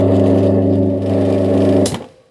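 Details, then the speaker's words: Three-phase motor with six unmarked leads, third trial connection (lead 3 swapped for lead 4, star-connected) with the breaker on: heavy, loud, coarse steady hum that cuts off sharply; still wrong, the windings are misconnected. "ครั้งที่3ก็ไม่ถูกนะครับผมครั้งที่3ก็ไม่ถูกมอเตอร์ก็ยังเสียงดังอยู่เหมือนเดิม"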